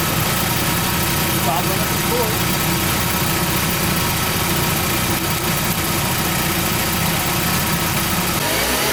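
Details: VW Golf MK4 after emergency JB-Weld repair of failed plastic water pump impeller, reassembled without thermostat: steady even engine hum, no crunching or grinding, pump sounds healthy.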